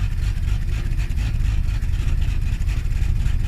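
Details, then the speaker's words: 1986 or 1981 Ford Mustang (carbureted inline-six or fuel-injected CFI; unclear which) with deep, lumpy, stumbling idle even holding throttle 10–20 percent; stalls if released, owner suspects the carburetor; rough idle. "because if you can hear that you can hear it it's not right and if i if i don't do this because i'm holding down my accelerator i'm not hitting it i'm holding it down maybe 10 20 percent i just feel that carburetor that that's what's causing this right now"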